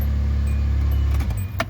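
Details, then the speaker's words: 2005 Hyundai Santa Fe with relatively low miles, after fuel pump replacement, exhaust off but resonator and catalytic converter still on; started right up, a steady, even low drone with no misses or knocks, running normally. "Started right up. It's working. And it's not as not as loud as I thought it was gonna be without the exhaust. It's probably because it has a resonator and the catalytic converter on it still."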